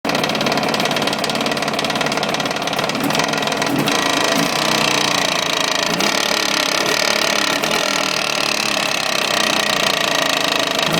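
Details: Jawa 638 two-stroke twin, fully warmed up, fine when cold: sharp metallic rattle over the exhaust note, steady; knock starts under load then becomes constant after about 5 minutes. Cylinders, rings and pin bearings replaced and heads checked, cause still not found.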